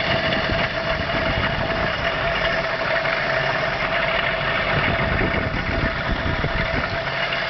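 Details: Engine at idle with a harsh, raspy rattle and a constant nasal tone on top; abnormal engine noise, cause unknown.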